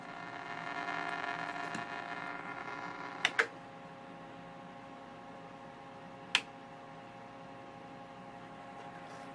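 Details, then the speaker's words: 1929 Radiola 66 superhet radio after an interstage transformer replacement, alignment attempt with a signal generator: the test tone sounds harsh and buzzy with faint hum; distorted output, cause unknown, and the signal seems not to couple into the antenna coil. "sound like a 1 kilohertz tower not sure why it doesn't sound right"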